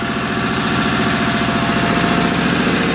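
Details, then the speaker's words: 1955 Cushman Truckster, single-cylinder, run after sitting a couple of years: even, steady thump at idle with no knocks or misses; fuel delivery issues noted, may not rev. Healthy old engine idling smoothly. "I just love to hear those old engines run that good. With a little care and maintenance, I'm sure she'll last a long, long time."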